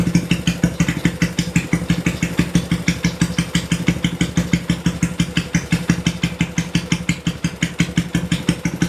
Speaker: Ya, tadi teman-teman sudah mendengarkan ya, ketika pertama sekali motor ini dinyalakan, itu RPM-nya tuh terdengar tinggi, brrrr gitu ya. Lalu setelah beberapa detik, dia baru mulai turun dan mulai stabil di RPM yang idle, ya artinya di posisi langsam.